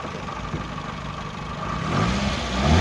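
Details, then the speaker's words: Japanese contract 2004 Toyota Vitz SCP10 1SZ-FE engine, automatic, 2WD, tested before dismantling: smooth even idle rising cleanly into higher revs with no knocks, misses or rattles; runs evenly, no smoke, healthy. "Двигатель работает ровно. Газ не идут. И не димит."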